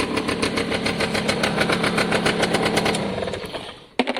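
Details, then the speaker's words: Piaggio Diesis 100cc two-stroke scooter on choke: crisp, evenly firing idle that sounds healthy; the oil light flashes but the oil level is fine and oil is seen pulsing through. "I think that sounds extremely healthy."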